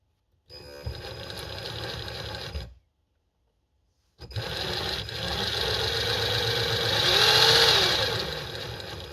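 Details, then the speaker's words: 3D-printed Frankenstein RC car differential with nylon gear against factory gear, up to 600 W motor: two throttle bursts of electric whir with gritty, uneven grind rising with speed; gears meshing roughly and cutting. "It's running. Does not sound good. But, it is spinning."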